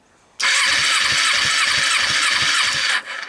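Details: 2012 Kawasaki Ninja 250 twin with 42,000 miles, on a jump pack, no carburetors fitted: steady starter whine with even compression pulses about three per second for under three seconds; it cranks over normally.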